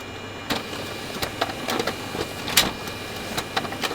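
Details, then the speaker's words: Kyocera FS3820N laser printer: irregular light clicks and clunks over feed noise as paper exits; the exit paper guide sticks with resistance and rubs the paper; printouts show splodges, printer dirty. "There's like a little bit of resistance, and I think it's that's hitting the paper."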